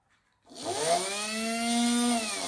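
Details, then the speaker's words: Old Makita 8400D 9.6V cordless hammer drill, motor tested: quick spin-up to clean steady whine, no grinding or rattle; motor and battery work, switch doesn't (corroded push-switch contacts). "Right, well that's good. Motors works. That is a lovely big motor. Motor works, switch doesn't."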